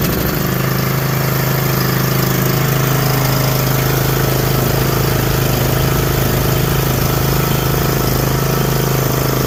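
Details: John Deere D120 mower with 21 hp Briggs engine, after no-start repair, on choke: catches right away and holds an even, steady idle with a clear drone, no stumbling; sounds healthy.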